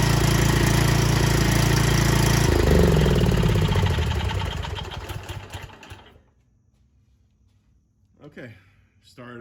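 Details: Cub Cadet XT1 small single engine after oil and filter change with fresh oil, catches quickly and runs at an even, steady beat, then winds down smoothly to a stop; healthy start and run.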